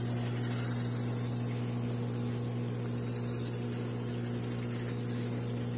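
A steady low hum with a faint, fairly regular chirping about four times a second on top; squeak source on the dryer not yet identified.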